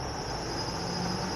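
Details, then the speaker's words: Flood-damaged Lexus LS430 with no power steering: a sharp, steady squeal rides over the engine when revved. The owner bets the accessory belt is soaked in oil from leaking valve cover gaskets and power steering; this is unconfirmed. "give it a little rev oh squealing belt I bet it's soaked in oil from the valve cover gaskets and the power"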